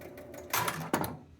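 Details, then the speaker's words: Travel Time pinball after adjusting the spoons and spring tension: a few sharp relay clunks and a bell as the game resets and serves a ball, then quiet with no coil locked on; healthy start. "there's a ball and nothing sounds like it's locked on"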